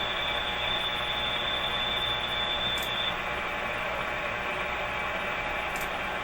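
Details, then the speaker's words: 1925 Magnavox Type D TRF radio tuned to 590 on its antenna gives a steady hiss and crackle with no clear station coming through; signal is weak and mostly noise. "Try to get more signal and less of all this noise."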